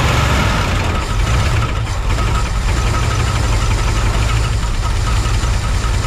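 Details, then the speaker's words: 1971 Chevrolet C10 V8 at first start: loud, rough, loping idle with busy top-end clatter; still missing on a cylinder, lifters possibly not set right or not pumped up. "still missing"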